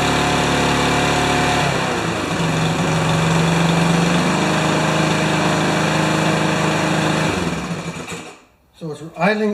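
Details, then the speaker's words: Remington mower with Powermore single-cylinder engine, primer needed every start: steady putter at a low, lazy pace that dips slightly before shutting off, idling too slow; owner suspects governor needs adjusting. "running a little slow so we'll tackle this one later"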